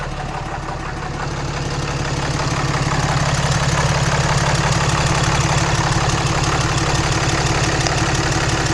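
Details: 2014 Ram Mega Cab 6.7 Cummins diesel just started after CAT 1R-0750 fuel filter install, about 10–11 PSI fuel pressure: even rhythmic tick about three per second over steady deep hum — clean normal idle, no miss.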